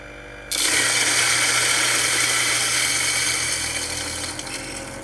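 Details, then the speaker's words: Jericho-type knockoff electric coffee grinder loaded with light-roast beans: motor hum starts abruptly and climbs gradually with steady grinding chatter; slow spin-up, suspected underpowered motor loaded by burr rotation. "did you hear that the motor kind of comes up to speed now listen to the motor sound if you can"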